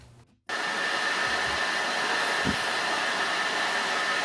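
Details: PS4 Pro after power supply replacement, deep clean, SSD upgrade and thermal paste, running Horizon Zero Dawn under load: loud steady rushing whoosh with faint high whistle, console fan running very hard, sounding like a jet engine; fan later swapped.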